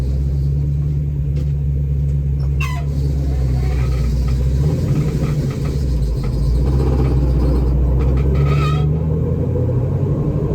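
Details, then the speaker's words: Dodge Challenger jacked up in gear in the shop: heavy low rumble and drone from the rear end, not the transmission, only under throttle in second, third and fourth gears, not first or reverse; rear differential gear set suspected failing. "so i got the car jacked up inside the shop and you can definitely hear the noise now i've got it in gear and the good news is that it is actually coming from the rear end and not the transmission"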